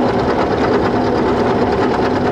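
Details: Small milling machine cutting a hard-to-machine iron T-nut with a cobalt cutter and oil, run wet. A steady, even cutting roar with no chatter; climb-milling pass sounds smoother than conventional milling.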